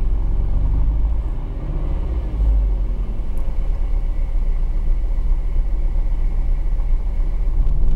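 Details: Engine misfire heard from inside the cabin: uneven, lumpy rumble with an irregular stumble in the beat; cause unknown.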